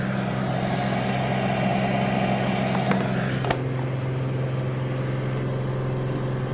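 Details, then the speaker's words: Samsung AddWash front-load washer at extra-high spin speed, ramping from 1250 to 1300 RPM: steady, even hum at one pitch, surprisingly quiet, no knocking or thumping; normal high-speed spin. "I do believe we're at 1250 RPM. Surprisingly, it sounds pretty quiet. Getting close. And there you go. 1300 RPM."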